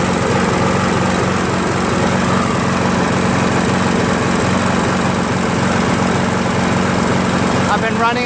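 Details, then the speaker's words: Craftsman 7HP green self-propelled lawn mower, long hard to start despite lapped valves, checked keyway and carb cleanings; after about an ounce of Seafoam in the fuel, steady even buzz, no hunting or stumbling; runs smoothly. "I'm gonna let this run for a while [Music] as you can see it no longer hesitates nationally runs pretty smooth"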